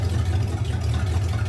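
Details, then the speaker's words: Hot rod V8, first start and drive of the year after sitting all winter, ignition timing roughly correct: deep, even burble with steady low beat and no misses or knocks; idles smoothly and healthy. "Yeah, he sounds"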